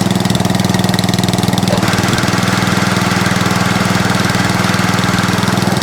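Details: Atco Balmoral cylinder (reel) mower running steadily with the cutting cylinder engaged: a light, fast rhythmic chatter underneath from the belt slipping on a loose pulley. Minor belt chatter; owner calls it no biggie.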